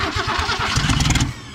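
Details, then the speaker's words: Abandoned 1966 Ford Mustang 200 six cranked on a squirt of gas in the carburetor. Brief cranking with uneven pops that die out after about a second; fires but won't keep running, likely for lack of fuel. "oh she's already popping ready to go what i'll tell you good lord she ain't got gas up to here yet probably"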